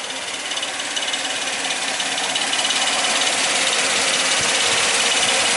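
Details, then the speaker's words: 2002 Suzuki XL-7 H27 2.7L V6 at 130,000 miles: a fast, steady metallic rattle like marbles from the front of the engine at idle, worse on cold start and hot idle, from the worn #1 timing chain tension adjuster; worsening over 10,000 miles. "uh-oh sounds like we got some marbles in the engine it's not not a good sound well guys today we're going to be working on my own 2002 Suzuki XL7 and it's got the infamous timing chain tensioner rattle issue"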